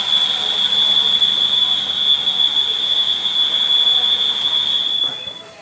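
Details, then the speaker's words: Citroën C4 Lounge THP turbo engine, just after switch-off: steady high whistle of air sucked in at the valve cover diaphragm area, dying away; ruptured PCV diaphragm on valve cover causes crankcase pressure and a belt-like chirp. "Sugando o ar. Ó. Vem bem aqui da região. Não é da tampa nem nada, ó. Da região do diafragma. Tá? Ou seja, ele tá sugando o ar para eliminar a pressão aqui dentro."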